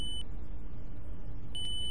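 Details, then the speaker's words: UPS circuit board, multimeter continuity test on a MOSFET: two clear beeps show it is shorted; to be removed from the PCB and rechecked, since a short elsewhere on the board can cause this reading. "দেখুন এখানে beep sound হচ্ছে short আছে বলে জানতে পারছি"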